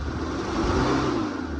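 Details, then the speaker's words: Fox body Ford Mustang started cold after sitting about 7 years: lumpy, uneven running with a skipping beat, running on two cylinders from a disconnected spark plug wire; distributor cap possibly wet. "Rougher as shit. It's been sitting a while, and it's cold. It's not running on all fours."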